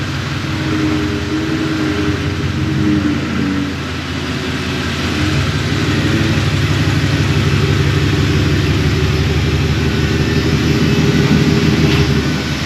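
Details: Coyote V8-powered Ford Ranger road test after fixing a high-pitched squeal like a vacuum leak and oil leaks: smooth, even V8 drone pulling steadily with light tyre noise, no whine, tick or knock; sounds healthy.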